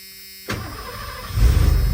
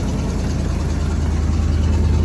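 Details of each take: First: 1991 Ford F250 V8, after sitting: stumbled on the front tank, so front fuel pump suspected bad; switched back to the rear tank, brief crank then quick catch into steady even idle. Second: 1991 Ford F250 V8, just started after sitting (with starting fluid): deep loud even idle with raw puffing edge from a terribly leaking muffler and a pipe that is falling apart.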